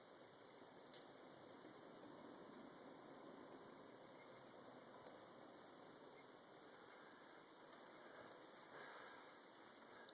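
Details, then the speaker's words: Two-head ductless heat pump, indoor head in maintenance mode at low fan speed: very faint, even airy hiss with no ticks, rattles or hum; quiet and normal, though fans get louder at high speed. "give me an idea of noise volume s has a pretty quiet head indoor head um the one thing is that when the fans really get running they do make some noise but really in maintenance mode your experience is going to be pretty much"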